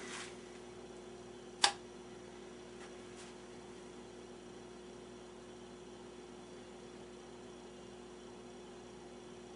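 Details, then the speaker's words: Philco 39-30 tube radio after recapping, first power-up: installing the missing shield on the 75 tube cured the feedback howl that had limited the volume; now only a faint steady low hum and one click, no rising squeal; normal operation. "all right it seems to take care of the problem that was a quick fix before i i could only turn the volume up uh a little bit before it would start howling"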